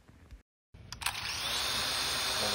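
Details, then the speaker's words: Snaptain SP-510 drone, nearly 200 hours: motors spin up into a thin steady high whine; one motor's bearing is worn (bottom-left prop spins slower and the drone shuts off); earlier sticking props from grit on the arm gear. "mine right now was experiencing the props were sticking and the motor has a bearing wine sound let's listen"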